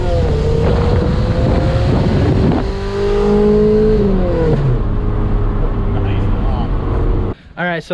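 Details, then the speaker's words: Honda-swapped Civic with very loud muffler to be replaced, bucking on light throttle (owner suspects IACV); loud droning exhaust rising and falling with revs, rough rattling edge, suspected loose O2 bung, unconfirmed: exhaust rattle and loud drone. "this is the loudest exhaust in the world and I'm definitely hacking off that muffler I'm putting a real one in there"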